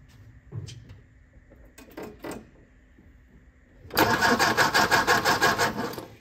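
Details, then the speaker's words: 1957 MG MGA roadster, first start attempt after many years stored: starter turns it over in even beats about three per second for two seconds, never catches; spark confirmed, fuel system suspected (stuck float bowls), not confirmed. "definitely have spark the engine is turning over so our problem must be with the fuel system"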